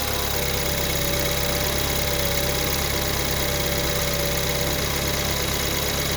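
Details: 2014 BMW 328i (built 06/14) N20 engine, cold start, idle and revs: fast busy ticking and chattery rattle over a bright idle, about three per second. Timing chain noise is suspected, not confirmed.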